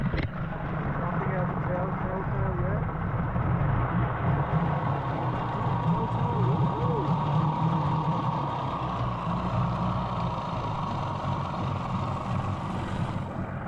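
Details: 15 hp Mariner outboard, unused for two years, after carburetor cleaning and reinstall, warming up: steady low two-stroke idle with smooth even burble and no misses, telltale flowing; normal idle, though it dislikes being in gear yet.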